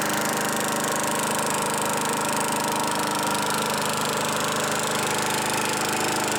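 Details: Craftsman Eager 1 mower, model 917.383241, after tightening hardware and fitting a new air filter assembly: even, steady engine note at constant speed without misses or hunting; running healthy.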